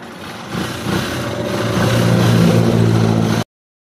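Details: TMX 125 that would not start with weak electrical power, after checking CDI wiring and reassembly: single-cylinder engine idles steadily with even low putter, no misfires.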